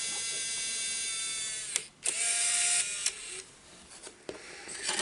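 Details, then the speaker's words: Bose Wave II multi-disc CD changer: quick clicks and a brief whirring motor, then more clicks with stops as it hunts but never settles. Loading fault. "Yeah, that's right, it's not actually picking up the disc."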